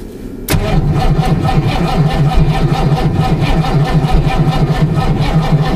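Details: Ford Mustang at -14 degrees: starter turns engine over in a steady rapid rhythm about five pulses a second but it never catches; crank no-start, owner suspects cold.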